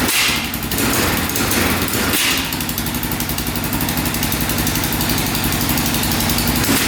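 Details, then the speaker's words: 2004 Yamaha Raptor 660 single-cylinder quad, long unused, oil now full: rapid choppy popping cutting in and out as if bouncing off a rev limiter, won't rev out; owner suspects a safety switch. "It's definitely not revving out. It definitely sounds like it's hitting a rev limiter."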